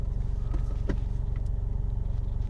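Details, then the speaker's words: Engine after replacing fake cheap eBay injectors with proper GB remanufactured fuel injectors: steady even low thumping at warm idle around 800 rpm, no stumble or shake, much quieter than before; injectors were the cause. "It's a lot quieter. Yeah. It's idling really low. Down to 800 and put your hand on there."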